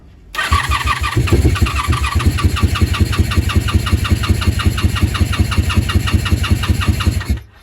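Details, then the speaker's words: 1987 Honda Super Magna with a new battery and spark plugs, on full choke: about seven seconds of steady, even starter cranking that never fires. The carbs were run dry, so it is fuel-starved; gravity fuel feed comes next. "she's not taken but I did run it dry so let's see if we can fill this gas"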